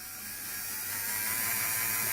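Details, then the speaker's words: LGB small locomotive Bühler 7-pole motor and reassembled gearbox on bench supply, voltage raised from about 2 toward 5-10 volts: smooth even high-pitched whir, no clicks or rough spots, building speed; normal motor running. "Now these are Bueller motors, and they have 7 poles, 7 sections, and they can run extremely smooth."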